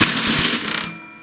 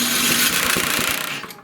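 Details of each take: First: MTD snowblower with a Tecumseh engine, cranked on the electric starter (mounted under the fuel tank) with the switch off: a loud harsh grinding burst that stops abruptly. The worn starter gear isn't meshing; loose mounting bolts can also cause this. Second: Tecumseh-engined snowblower after replacing the electric starter gear that had ground loudly: the engine is spun over with the switch off, a short, smooth, much quieter whirr with no grinding, then it winds down. Normal cranking.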